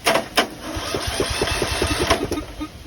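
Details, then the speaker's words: 2004 John Deere riding mower with new battery, choke on: quick starter chugging about three beats a second catches and fires into a running engine; cranks and starts normally. "It cranked. Choke is on."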